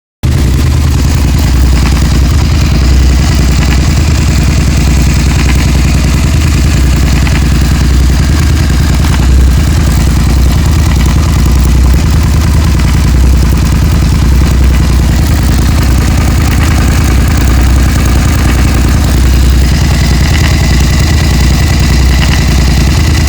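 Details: Suzuki SV650 V-twin idling, light fast engine ticking over the deep exhaust thump.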